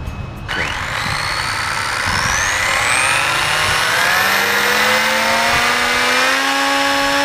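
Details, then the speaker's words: RC car on bearing benchmarking rig, power pulled toward about 200 watts: motor whine rises with a growing rough buzz underneath; driveshaft visibly bouncing from a displaced bearing carrier. "I'm just gonna go ahead and do another poll and you can hear the vibration kick in so I'll take it to about 200 watts which is where you where it was kind of still steady and just go from there"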